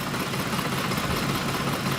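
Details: 2004 Ford F-150 with aftermarket cam phasers, warmed up at idle: loping, uneven pulse with light valvetrain clatter from both sides and the check engine light flashing; runs rough when warm, cam phaser problem suspected but not confirmed.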